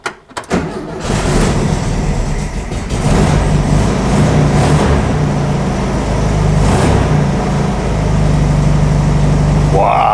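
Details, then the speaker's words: Air-cooled VW Beetle engine started after sitting over twenty years, with cleaned gas tank and temporary fuel hose: catches quickly and settles into a steady, even beat with the choke working, running healthy. "what a huge difference. [Music] Wow, the choke works and everything."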